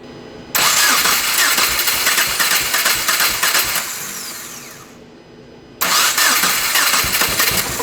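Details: Hand-built 2.5L swapped first-gen Subaru Crosstrek, cold, old injectors refitted: fires and runs unevenly with a loose hissy irregular beat, stalls then restarts; rough running misfire, owner suspects fuel injectors, unconfirmed.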